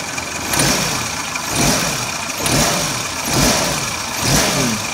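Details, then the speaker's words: 2001 Suzuki Katana GX (SJ410) used car: engine blipped about once a second, revs rising and falling cleanly with no knocks, rattles or misses; no odd noises, healthy. "Tidak ada suara aneh-aneh."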